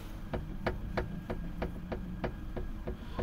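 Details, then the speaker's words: 2013 Kia Cerato (Forte) TD: sharp dull knocks about three a second as the hood is rocked; worn left hood hinge with play, knocks over small bumps like a dash rattle; hinge to be replaced. "он противный этот стук вот он вот здесь вот получается выработка на самом крепление на ножницах на этих и при небольших неровностях он начинает стучать"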